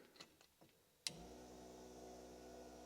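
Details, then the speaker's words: Barn-find Golf Mk2 GTI restoration, fuel pump powered with 12 V from the fuel pump relay during rewiring: a click, then steady, even electric hum holding pitch; pump running. "so now I'm going to put current to this one and hopefully you'll be able to hear it"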